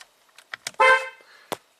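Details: 2014 BMW M235i after fixing horn on aftermarket steering wheel: a few clicks then one short, clear full-strength toot; horn working normally.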